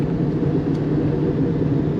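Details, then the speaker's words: Subaru Impreza wagon under 100K miles, also needing a belt: steady low rumble under the car at road speed with no rhythm; loud worn rear right wheel bearing. "That back right's bad. That fucking thing's loud as hell."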